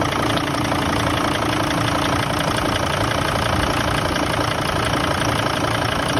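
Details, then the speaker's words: 2006 Mercedes T1N Sprinter 3500 diesel at idle just after start: lumpy, uneven chuff that sounds like low compression, exhaust pulsing in puffs; oil on turbo and coolant leaking onto the exhaust manifold, head gasket suspected but unconfirmed; rough idle. "wow that sounded like light compression to me that doesn't sound good when it's running"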